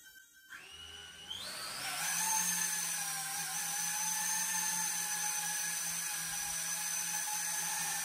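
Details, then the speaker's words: MicoAir H743 AIO Pixhawk drone on ArduPilot, low-altitude flight test in stabilize mode: motors whir up, then hold an even pitch in steady hover without flipping, showing setup is correct; normal hover. "자 이렇게 뒤집어지지 않고 드론이 낮은 고도에서 일단 정상적으로 뜨면은 세팅이 정 으로 된 겁니다"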